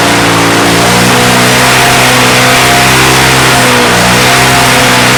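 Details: Roadside-dumped, neglected Victa Mustang 20 two-stroke lawnmower restarted after refuelling and priming: crisp, even buzz that holds steady and picks up cleanly when revved, though some smoke comes off the engine and the owner suspects remaining issues.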